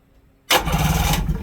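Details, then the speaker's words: 1996 Sea-Doo Speedster after MPEM removal, port engine starter button test, now cranks without lanyard fitted; starter engages sharply and spins engine at an even steady rate, no grinding, healthy crank. "Cranks up. Nice. Now with the way this is set up, it will crank without having the lanyard on."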